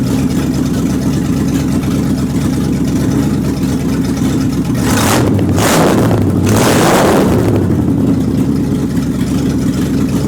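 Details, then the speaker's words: Warm 360 engine, thermostat open and water circulating, no fan fitted, radiator steaming. Rough, uneven running with a stumbling beat and one rev blip; engine misfire, owner suspects the carburetor gasket and vacuum lines. "and I ran it and uh thermostat Open Water circulating good it got hot and uh Water started steaming off the radiator there I don't have no fan on it of course so it all run good still got a Miss in it"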